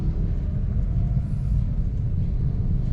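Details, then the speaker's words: Toyota Wigo on a test drive over a bridge after fixing the creaking fender: steady low road rumble, creak gone. "Wala na. Nawala na sir. Nawala na agad sabi ni sir eh."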